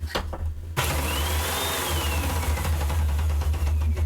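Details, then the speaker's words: Hoover UH70935 upright vacuum started in upright position after nozzle base replacement: strong motor hum with uneven knocking caused by a damaged brushroll belt. "you hear that knocking sound that's the knocking sound I was talking about that that's the belt because the belt is um the belt is uh what do you call it it's uh damaged okay so that's what that Knockin sound is all about"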